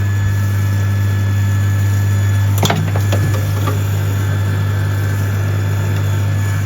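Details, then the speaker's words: Zone valve opening normally after replacing a battered, crumbled Honeywell cylinder stat; 240 V now reaching the valve. Steady low mains hum with light clicks as the actuator drives over; valve opens, fault fixed. "That's going over. Success."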